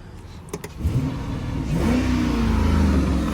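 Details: 2006 Chrysler 300C 5.7 Hemi, after a wiring harness fix for stalling and codes U0100/P0700, 75 hours running without stalling: the engine pulls up smoothly through a clean rising rev and holds steady, no stumble or cut-out; healthy.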